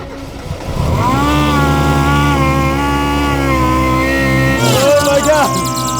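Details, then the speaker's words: $300 Miata drift car with a $100 TEMU belt-driven supercharger on its first start: loud, rough, raspy whine over idle wavering with revs. "God it technically works it sounds horrendous"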